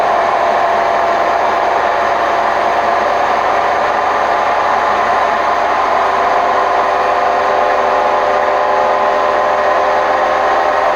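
Loud, constant rumbling roar through the spin at high speed, no smooth whirr underneath; classic sign of worn drum bearings.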